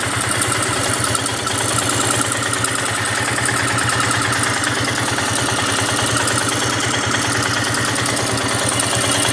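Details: Royal Enfield Himalayan single-cylinder motorcycle idling with a steady fast metallic tappet ticking from the cylinder head assembly, later fixed at a service station.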